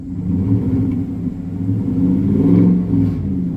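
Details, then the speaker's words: 2015 Chevrolet Silverado 5.3 V8 with about 60,000 miles: revving with uneven, stumbling rumble and faint top-end lifter tick, cylinder 7 misfire, low oil pressure, flashing check engine light, smoky exhaust; compression test planned, low compression suspected. "Girl low pressure, got ticky lifter. Misfire number seven."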